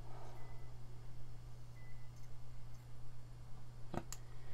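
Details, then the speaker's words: PS2 Slim playing a music CD with the drive open, laser not adjusted: steady low hum of the disc spinning evenly, one faint click, no grinding; the drive spins and plays normally. "hey start playing and as we can see now it is still spinning and it's going perfectly fine so that's what it's supposed to do"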